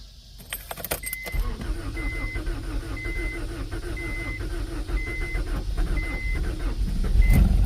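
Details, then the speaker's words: 1992 Acura Integra, sat over 5 years after overheating; new distributor and starter fitted, fresh gas added. Starter churns about four beats a second under a door chime and never catches. Owner suspects no fuel pump. "Oh, man. I might not have a fuel pump."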